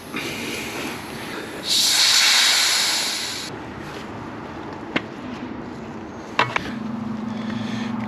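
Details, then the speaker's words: Mini Cooper S R53 brake system pressurised with a pressure bleeder; loud sharp hiss of air escaping for about two seconds as it is pumped, from a badly seated bleeder adapter/cap: air leak at brake pressure bleeder adapter. "then as i'm pumping you can hear air coming out of somewhere oh it sounds like it's coming out of here is that not on properly it's coming out again"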